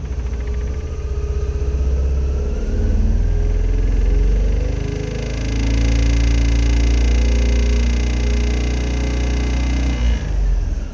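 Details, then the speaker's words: British-built Isetta single-cylinder engine running after carburetor float check and reassembly, fresh battery: steady putter with a light rattle, owner says not knocking; runs great once warmed up, but dynastart charging is weak. "rattling in here it's not knocking it does charge but it's pretty weak she's a great runner once she gets up and warmed up that sounds awesome"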